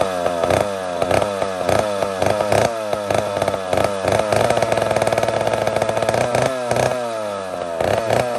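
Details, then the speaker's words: Mac 125 SP chainsaw with a single-jet carburetor during tuning; the carburetor is said to be softening up and letting fuel flow more properly. Rough, uneven bursts about twice a second with burbling in between. Uneven running while the carburetor is adjusted. "so friends i've already gone through this once like this whole thing i go through right now i've gone through it once already the carburetor is starting to settle soften up and let fuel travel through its passages more properly now"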